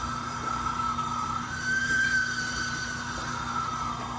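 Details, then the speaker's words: Kenmore HE3T washer, bearings replaced about a week ago, warm after a load, drum spinning down: thin, steady high squeal holding pitch over a faint rumble; owner suspects a seal; unconfirmed. "this is a kenmore he-3t new bearings probably a week old and this is with it kind of warm just ran a load not much in the way of resistance but definitely a pretty scary sound"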